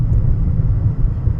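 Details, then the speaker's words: 2013 Nissan Altima at almost 200,000 miles, driving at about 40 mph: a low steady droning hum under road rumble that grows when turning right, from a worn driver's-side wheel bearing. "and I can hear the sounds increasing. Let's see. And left, I don't hear much, but right, I can hear sounds like humming increasing, and I know it's from the driver's side because it's right here."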